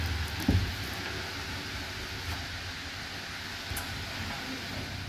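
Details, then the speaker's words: Nissan Patrol Y62 started via intelligent-key remote start after removing plastic cover pressing shift knob button: low, soft, even idle hum, no knocks or misses; normal idle after fix. "Now engine start now. So umandar na siya ngayon."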